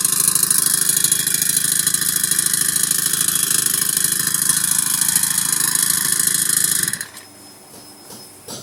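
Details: Old Honda GX35 four-stroke brush cutter with a no-start complaint, running after its carburetor fuel mixture was turned down. It buzzes with a rough, uneven pulse for about seven seconds, then stalls; the valves are ruled out, and a carburetor mixture fault needing cleaning is suspected, with worn cylinder or rings also possible.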